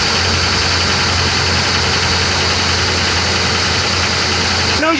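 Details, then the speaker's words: Used Ford Crown Victoria Police Interceptor V8 on cold start during a pre-purchase check; it settles into a fast idle with a steady knock underneath, a worn bottom end: engine knock, a car to avoid. "that right there friends is an engine knock and if you're crrom viic the one you're test driving the one you're interested in buying makes that noise I would stay as far away from it as you can"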